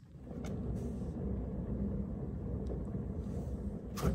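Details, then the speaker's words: 2012 Triton LTWC II personal watercraft trailer wheel turned by hand: low gritty rumble like a box of marbles with a few clicks, plus wheel play; worn wheel bearing and races needing replacement. "like a box of marbles probably need a new wheel bearing the other thing to check for is any play see this thing's got wheel play as well"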